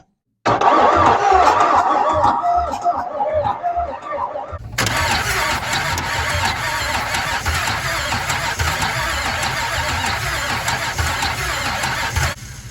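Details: Abandoned 1980s Camaro drag car, 350 four-bolt-main V8 previously locked up, fresh plugs, carburetor just fitted: starter churns about four beats a second, then rough steady roar that never settles into a clean run; crank, no start, cause unconfirmed.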